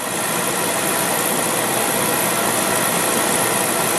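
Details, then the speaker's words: Beckett oil burner, two-pipe pump system with Carlin Pro-Max safety control, door open: normal ignition after 3-second pre-ignition, steady burner roar with the igniter spark still buzzing after the oil valve opens. "Houston we got ignition all right now you can hear you can hear the uh spark still going there"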